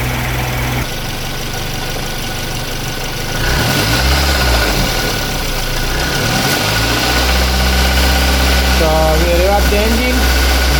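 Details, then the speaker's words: 2008 Suzuki SX4 2.0 L J20A petrol, after bottom-end bearing repair for a rattle that appeared with revs: even, steady idle with a smooth low hum and no knock; normal idle. "making noise nothing so all good"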